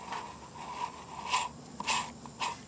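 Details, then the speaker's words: 2003 GMC Sonoma/S10 clutch release bearing, part of the slave cylinder assembly, removed and spun by hand: short bursts of dry, gritty whirring where it should be silent. Dry clutch release bearing; to be replaced. "you can hear it make noise. It's not supposed to make noise. And then the seal right here, I believe there was a seal or no seal. But it's making noise, so obviously the bearings are dry. And that's bad."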